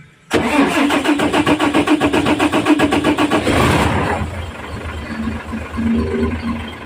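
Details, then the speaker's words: Fuso 6M70 diesel with hard start and low power, after injectors tested, cleaned and reinstalled: catches after a few seconds of even rhythmic firing, settling into steady smooth idle with no misfire or hesitation. "pwede namin to paandarin kumpleto na lahat so let's go paandarin na natin"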